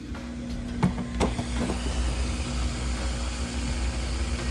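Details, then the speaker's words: Samsung high-efficiency top-load washer: steady low pump hum with water rushing through, no rattle or grinding; drain pump empties the tub normally and fast. "Right, and you can hear that drain running. Water drained out of there."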